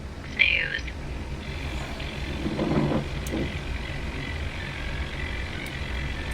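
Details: Emerson 505 tube radio: low, steady put-put motorboating throb under furnace noise, unchanged after swapping a 1T4 cathode bypass capacitor (0.002 in place of 0.02); cause still unknown.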